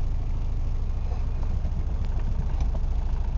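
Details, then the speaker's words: 1988 VW Jetta diesel, 5-speed manual, cold start after cycling the glow-plug key position three times: a deep, regular diesel clatter just after firing, running steadily without stumbling. Normal cold-start idle. "now if I had not done that little key trick if I had just waited until the uh light had went out and then cranked it over the engine would have cranked and cranked and cranked and cranked and cranked and eventually started"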